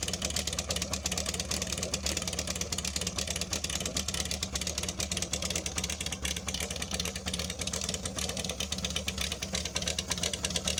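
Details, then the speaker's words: Honda CB550 Supersport cafe racer, cold engine, one carburettor choke on: quick even exhaust beat, slightly lumpy on choke but steady; healthy four-cylinder running right. "This is a cold engine. I'm going to turn at least one of the chokes on, and let's start it up. It's a bit cold right now."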